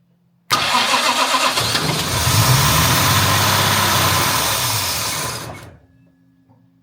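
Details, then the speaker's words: Jaguar MKII during reassembly, distributor bolt loosened and being twisted: starter spins, engine catches and runs rough about five seconds, then dies every time; owner believes the ignition timing was way off, not confirmed. "you see it does that every time and I I was turning the distributor and points I could hear the engine was then straining so you know the timing was way off"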